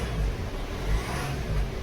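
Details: Hyundai/Kia Sportage after a jump start from a weak battery, charging confirmed at 13–14 V: engine revs cleanly with a steady, even note and no knocks or rattles. Healthy.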